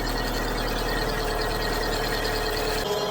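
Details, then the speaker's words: 2010 Chevrolet Aveo at idle, heard from under the wheel arch after replacing the auxiliary belt tensioner with its worn bearing: even idle, no whine or grind from the belts; fixed. "All working fine without an issue. before we could hear the winding grinding noise from the tensioner because of the worn out bearing."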